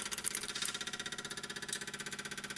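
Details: BMW 335i with the engine switched off: a fast, even clicking at roughly fourteen per second that does not let up, some component chattering after shutdown.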